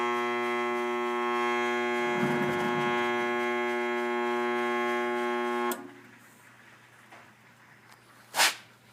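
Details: Furnace running with a loud, steady electrical buzz that cuts off abruptly; intermittent issue, diagnosed as a bad blower motor, with delta T correct.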